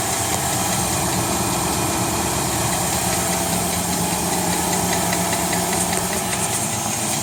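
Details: 2017 Nissan Titan SV at idle: steady idle with a light, fast ticking of a few ticks per second riding over it, not clearly tied to anything; source of the tick unknown.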